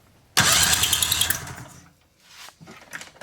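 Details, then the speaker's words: 1997 Polaris Indy Classic snowmobile barn find, 1166 miles: brief electric cranking burst with even, pulsing turnover and no misses; good compression but doesn't fire yet. "it's got compression so that's a good sign"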